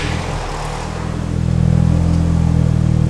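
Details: Cheap Mark 5 Volkswagen hot hatch, cold start settling into a low, slightly uneven idle that rises as revs build; running sounds a touch lumpy, cause unclear, with warning lights on and one exhaust tip hanging off.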